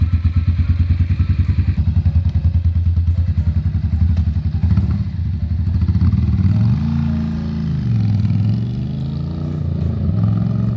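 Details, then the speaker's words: Ducati Monster M600: lumpy twin idle wavers and sags and must be held up with throttle blips, as it won't idle on its own; cause not found. "because it won't actually idle yeah um so your options are bump start that's a no just keep keep revving it"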